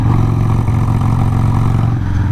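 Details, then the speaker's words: Harley-Davidson Sportster 883 carbureted V-twin ridden before fully warm: deep, loud, uneven thump with a ragged beat; rough running when cold, owner suspects a dirty carburetor jet since the whole carburetor wasn't cleaned. "I still think it might have a dirty jet I probably should have just cleaned the whole carburetor but I didn't"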